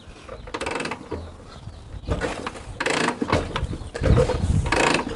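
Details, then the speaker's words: 1952 Harley-Davidson Panhead after six months idle, full choke, throttle wide open, 61 degrees, fuel on: separate kicks about a second apart, each a ratchet and chuff against compression; turns over without firing as oil seals the cylinders. "Now see, we can feel the oil starting to seal up those cylinders."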